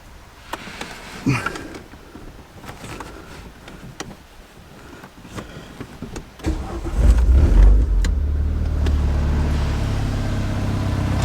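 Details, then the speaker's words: Renault Megane RS started after checking a knocking near the front hub (owner unsure if bearing), out of gear, low on fuel: short flare on catching, then settles into a smooth, even, healthy idle. "Woo-hoo. That sounds pretty good today. That sounds pretty good."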